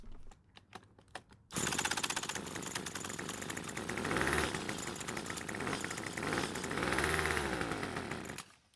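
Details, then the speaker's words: Craftsman two-stroke trimmer, pull rope gives no start: with the electric starter pressed on the back of the engine it buzzes unevenly and runs, sputtering off when released; oil leak noticed at the engine back. "so it starts and runs while the starter is on the back of the engine which is what it was doing before"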